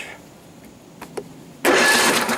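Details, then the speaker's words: Flood-damaged Husqvarna cranking on the starter with no spark plugs fitted and no fuel: it spins over fast and even without firing. Normal, healthy cranking. "sounds good to me i think the next thing to do put some spark plugs in it see if it'll fire"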